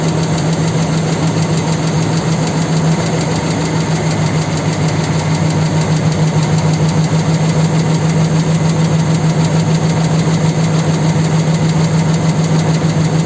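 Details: 4.7 engine at steady idle with a dull, fairly regular knock about three per second from inside the engine; cause unknown.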